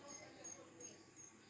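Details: LG 14-inch CRT TV powered through a series lamp: sharp high-pitched ticks about every 0.37 s over a quiet hiss, TV won't turn on. Flyback (EHT) arcing; the EHT was found burnt.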